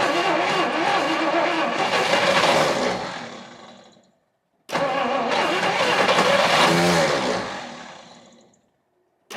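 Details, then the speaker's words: 1959 Studebaker Lark, 259 V8, off the road 36 years: two cranking bursts of about four seconds after cracked spark plug wires were replaced. The starter turns the engine, but it never catches (crank, no start). Spark plugs are to be swapped next. "all right well it's trying but uh it's all I got time for today"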